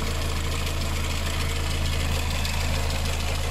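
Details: Engine, idling: a light, regular tick about three to four per second. Coolant and filter are to be replaced.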